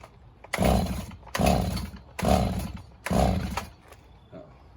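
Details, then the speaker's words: Stihl MS290 chainsaw with new fuel line fitted: four steady rope pulls about a second apart, just compression whir with no firing because the stop switch was left off; should idle around 2,800 rpm. "Oh, it helps if you have it in the on position. Helps when it's in the on position."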